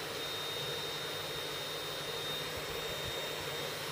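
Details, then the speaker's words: 500 W air-cooled ER11 CNC spindle below full speed: even rushing air with a faint high tone is the cooling airflow blowing down; no knocks or grinding, normal. "Le bruit que vous entendez, c'est le flux d'air qui descend."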